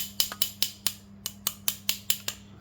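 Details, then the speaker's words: Scooter CVT pulley area after CVT case and rear pulley bearing replacement; tick-tick noise when riding slowly; sharp tinny metallic ticks as the clutch bell is tapped, loose outer cover plate colliding with the bell; loose clutch bell cover plate rattle. "jadi ternyata penyebabnya itu ini ya ya dari plat ini ee bertabrakan sama ini ya waktu jalan pelan khususnya ya"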